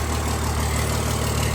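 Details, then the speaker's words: 1000 hp Cummins diesel with hood stack, freshly built, both pumps running, oil pressure good: deep steady low rumble, no knocks or misses; normal idle. "So, we got both pumps running. She's idling good."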